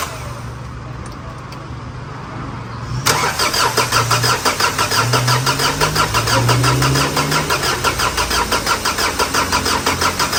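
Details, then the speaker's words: Ford Everest 2.5 diesel after engine repair for overheating and oil in the coolant (radiator replaced, injectors tested normal), first start: a few seconds of cranking, then an even steady idle, no knocking or misfire, normal. "เครื่องยนต์ติดแล้วนะฮะก่อนที่จะออกวิ่งทดสอบทดลองนะครับเสียงเครื่องยนต์เงียบกริ๊บ"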